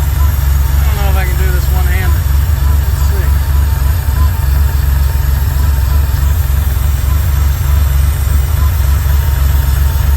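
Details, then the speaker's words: 1979 Porsche 911SC with CIS injection, after the ignition was restored and a bypassing fuel distributor was fixed, then the mixture screw adjusted. Steady, smooth idle at 950 rpm with good oil pressure: normal idle. "a little mixture adjustment sounds nice all right well with that we've got a 950 RPM idle we got good oil pressure"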